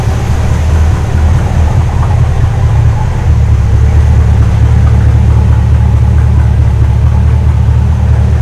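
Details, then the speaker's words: Custom 1956 Studebaker Sky Hawk on a second start after a transmission swap, smoking, running on old gas mixed with cleaner; fresh gas planned. Loud, deep, lumpy, unsteady rumble. Rough running on stale contaminated fuel. "Smoke, but it's got that funky gas and car cleaner and everything else in there, so we'll put fresh gas in it and then we'll give it another shot a little later today."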